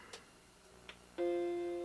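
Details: Macintosh Classic II powering on after replacing a 22 ohm SMD resistor: short click, then one clean steady startup chime that slowly fades; normal power-on tone, no odd noises.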